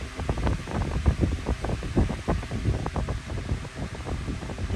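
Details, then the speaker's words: Lakewood 9-inch high velocity wind machine fan on low after a failed attempt to balance the blades: uneven low thumping pulses under rushing airflow, louder than before; blades still out of balance. "Okay, this was a fail. The blades are definitely still out of whack. I don't know if I made it worse or not, but really hear it now, it's pretty much more louder and more powerful."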